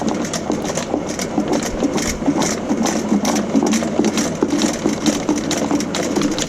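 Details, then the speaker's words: 5/8-inch auto-feed power rooter snake clearing a clogged 4-inch main sewer line: motor hums with quick, fairly even clatter of spinning cable, feeding out smoothly without bogging or binding. "so you can see that the snake is running out fairly smoothly it's not binding on it anything"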